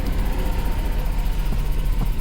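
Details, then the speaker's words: Mercedes C63 AMG V8 after cat removal, idling: deep rumble with faint sharp pops at the new weld. Exhaust leak at the weld. "the back back sounds nice exactly how it's supposed to sound but the area where he welded you can hear that little pop-up bro it's freaking leaking"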